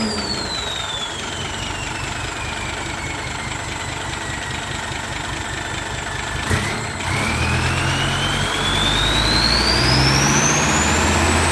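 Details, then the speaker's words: Diesel just fitted with a new turbo (same brand) after the old one's impeller broke, exhaust reinstalled: clear whistle sweeps down as revs drop, then climbs cleanly with throttle over steady rumble; normal spooling, sweeter than before. "โอเคลุยงานได้ครับมาดฐานจริงๆครับเสียงหวานกว่าเดิมอีก"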